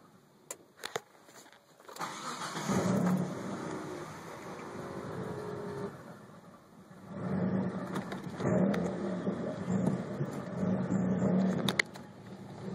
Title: Rough idle after ~20 min shutdown.